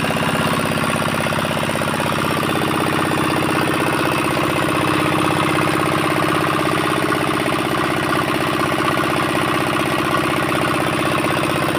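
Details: 4-hp Chinese diesel engine after fuel pump plunger installation and nozzle pressure setting: steady even chug about four beats a second, constant pitch, no misfires or knocking; normal running.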